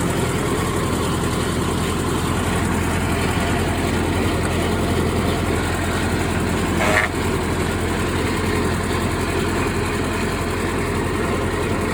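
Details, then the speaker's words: Old Ford tractor running a brush hog after servicing, mower recently sharpened: steady, even low diesel drone with the mower spinning smoothly, no knocks, rattles or surges; running healthy. "there we go sounds like she's working pretty good"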